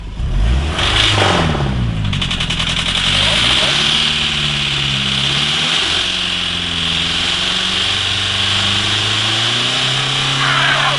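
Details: Mitsubishi Carisma diesel runaway after several liters too much engine oil overfilled; very high climbing revs that never settle or drop, engine running on its own oil.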